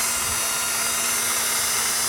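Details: 1997 Acura CL, engine not running, with the ignition switch on: a steady high whir with a faint hum; vibration felt at the starter, so a starter spinning when it shouldn't is suspected, not confirmed.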